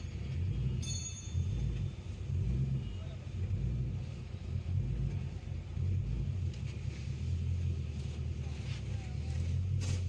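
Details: Car fitted with a Corolla engine idles with an uneven, stumbling low rumble. It has a random misfire with code P0300, and an electrical fault is suspected.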